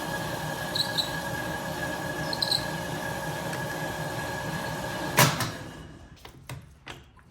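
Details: 1967 Logan model 1875 lathe on a Phase-a-matic static single-to-three-phase converter at 240 V, auto-feed test with the clutch handle engaging then disengaging the feed: a steady mechanical hum and faint constant whine, then a clunk on disengaging. Smooth, normal running.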